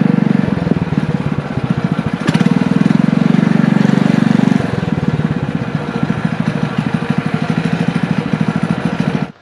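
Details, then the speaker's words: Single-cylinder engine from an old power washer, with a muffler and a 6.5 HP torque converter clutch, on a trike ride with wind noise: steady, quick putter holding even under load; engine and converter sound normal. "all right guys so as you can see we just got back from taking this thing for a ride and it actually rips around pretty good it picks up surprisingly well especially with that torque converter it's working perfectly"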